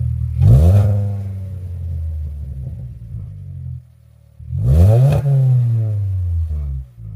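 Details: 2013 Hyundai Elantra GT after fitting a chambered muffler in place of a straight pipe: two starts, each catching and flaring to a quick rev before settling into a deep, even rumble; normal start and rev.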